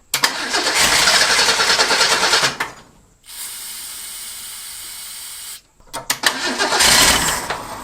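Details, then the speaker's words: Ford Durango (Ford car-based pickup, Duraspark ignition) revived after 9 years sitting, mouse-chewed voltage regulator wire: engine fires and runs only while cranking, dies the moment the key is released, fires again on next crank; starter solenoid ignition-override circuit explained. "okay here's what I'm saying as soon as I let off the key for cranking the engine shuts off"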